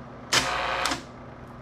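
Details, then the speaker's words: Bell & Howell Slide Cube RF60 projector: sharp clack starts a short whirring advance cycle that cuts off, then a lone click; slide advance sticking because a slide is jammed. "yeah it's not want to work H I wonder why it doesn't want to work let me open this up here oh no wonder I think that that slide's jammed"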